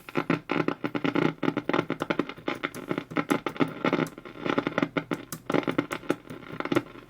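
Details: Old RCA radio on the bench, brought up slowly on a variac (isolation transformer) around 93–103 V, tuned near local station 1390: irregular bursts of crackle and sharp pops, no station audible; crackling and popping, no reception, cause undetermined.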